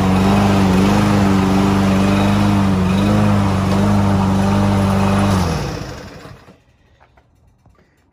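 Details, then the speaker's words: Landboy lawn mower, unused almost a year, now started after the fix: clean steady hum with slight dips as it bites grass, then winds down smoothly; normal running under load. "mire ya está jalando la máquina muy bien y está cortando el zacate"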